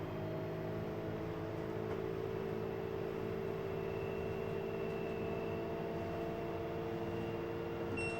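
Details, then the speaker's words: LG washer on a preventive maintenance check, high-speed spin over 100 RPM: even, steady whir with a smoothly rising motor tone, no thumping or grinding; spin is healthy. "Now we're doing a higher speed spin, so you can see the RPMs are going up on our screen here. Man, this thing is real smooth."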